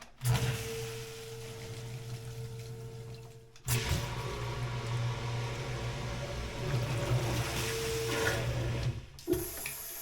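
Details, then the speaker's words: Sump pump with a radon mitigation system, after installing a PumpSpy silent check valve: hum and water rushing through the pipe, then shut-off with no clunk; the internal check valve had previously slammed shut at each cycle. "Yeah, that did it, folks. No more clunk in the pipe."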